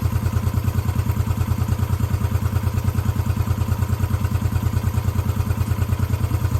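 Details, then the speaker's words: 1972 Honda CB350 twin, already warm, idling after new coils, points and petcock, cam chain and valve adjustment, cam seal replacement, rebuilt carburetors and tuning. Even, steady idle with no ticking, knocking or hunting; normal idle. "just purrs like a kitten um where do you see the ride she screams man it's just what a great little bike to ride"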